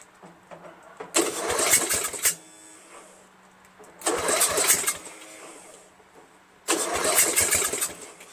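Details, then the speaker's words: Murray Select 13.5 hp 40-inch mower with Briggs flathead, stripped head bolt repaired and valves ground, sat overnight, battery charged, solenoid jumped: three short cranking bursts, each catching briefly and dying. Hard starting, runs worse than the day before. "so it doesn't run as good as it did yesterday which is all lawn mower equipment"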